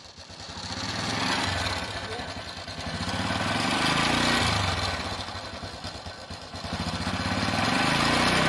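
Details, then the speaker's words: Honda Absolute Revo motorcycle engine before cam chain replacement: idle with harsh clattery rhythm over the exhaust, swelling with throttle; rough engine noise, worn or old cam chain suspected. "telah kita dengar tadi suara mesin tidak normal suaranya kasar kemungkinan kita akan buka dulu rantai klubnya sudah aus atau pun sudah tua"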